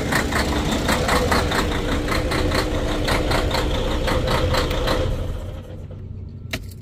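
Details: Detroit DD13 diesel in Freightliner Cascadia with fuel problems, idling: loud, uneven rapid knocking and surging clatter, then winds down; rough fueling traced to failed fuel rail high-pressure sensor.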